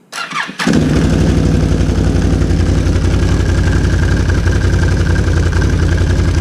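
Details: 2007 Can-Am Renegade 800 after new drive belt and tan clutch springs installed: catches within a second after a short crank, then a steady, even V-twin rumble with no slipping or rattle; healthy start and run.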